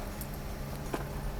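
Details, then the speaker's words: Mercedes W124 300E-24 (24V, 220 hp) idling, heard from inside the car after the fuel distributor was overhauled: steady low hum over a smooth idle from a loud, worn fuel pump that needs replacing. "We are inside here. I can already hear the fuel pump making a loud noise."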